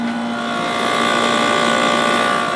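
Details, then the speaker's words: 1989 Fedders-made Climatrol 8,000 BTU window AC, Rotorex compressor, stabilized after minutes on low: smooth hum, clean mid tone and airflow hiss, drawing 7.07 A, cold output air. Compressor sounds healthy. "Compressor sounds really nice. Pulling 7.07 on low, and that's our air output temperature, nice and cold."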